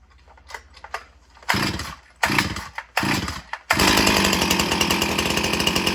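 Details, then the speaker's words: G366 chainsaw (Stihl MS361 clone) with 18-inch MS310 bar: weak pulls and sputters then sharp pops as it catches to a rough idle; backfires on starting, owner thinks from pulling too gently. "You hear it backfire? You know, it does kind of sound kind of weird, but I think I might have to be careful by not pulling it so easy because it'll backfire."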